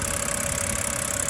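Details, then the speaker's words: 2010 BMW 328i xDrive inline-six after cleaning ignition coils to cure misfire and shaking: steady, even idle with smooth low hum, no stumbles or shakes; runs clean. "um and you guys shouldn't have a problem because my car is running really really good right now because of that simple fix"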